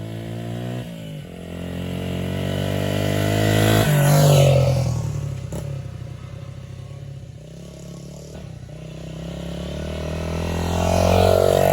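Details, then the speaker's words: Restored 1978 Honda XR75, last run around 1989, ridden after a misset adjustment was corrected per the manual: the small single revs up and down cleanly through the gears with an even exhaust beat and no misses; normal running. "I drove it that way for years but luckily I checked the book made the adjustment and now we're up and running so here we are just in time for the fourth I finally get to ride this thing"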